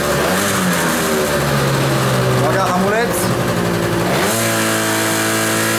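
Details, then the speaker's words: Kymco Vitality scooter from Norway, engine still cold, revved against the brake after centrifugal clutch spring adjustment: holds revs firmly without bogging, where before it lost revs and lacked pull off the line; normal revving under load. "silnik jeszcze jest zimny co prawda ale widzicie już są obroty przy starcie"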